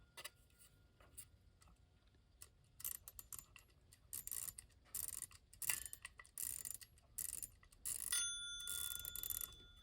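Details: Restored 1936 Ingraham strike clock, Model SSD1, bought as non-working, tested after the spring was reattached and the set knob fitted. Scattered light clicks come as the hands are turned, then clear ringing bell strikes, so the strike train works properly.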